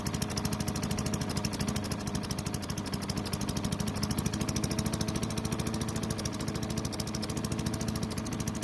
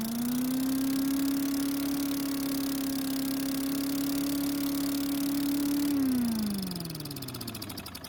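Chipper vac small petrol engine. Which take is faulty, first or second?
second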